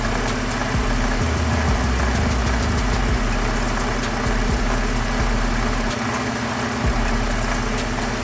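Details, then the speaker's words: 2013 Ford F-150 3.5 EcoBoost, code P025E, idling: loose, uneven rattle over the idle, first thought to be electric fans; water pump found wobbling badly with shaft play and leaking coolant, worn bearing. "There we go, guys. I found a rattling sound. I thought it was the fans at first on this truck, but it seems to be the water fl Heat."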